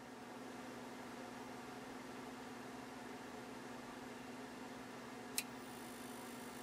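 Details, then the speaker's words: Dumont RA-103D tube TV set, already warmed: faint steady hum, then one crisp click about five seconds in as the delay relay pulls in after tube warm-up; normal quick relay click on warm start. "so now the set's warmed up so it's going to click on fairly quickly but turn it on"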